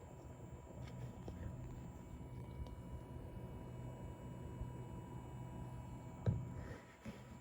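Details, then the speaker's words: Corsair iCUE H115i ELITE CAPELLIX AIO cooler pump in Balance mode in iCUE software at about 2430 rpm: faint steady low hum at one even pitch, no surging or rattle; pump holds speed stably, running normally. "słychać takie brzęczenie teraz przełączymy na tryb Balance to są dedykowane tryby w oprogramowaniu Corsa IQ teraz mamy 2430 obrotów fajnie tutaj ta pompa trzyma te obroty stabilnie nie ma jakiegoś dużego ostrzału"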